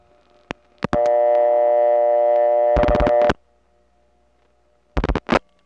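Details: 1979 Atlanta Trinity step-by-step telephone office: a call over an analog wire cable trunk to a No. 1 ESS supervision test. Relay clicks, then a clean, steady ringback tone that cuts off sharply. A normal, healthy connection.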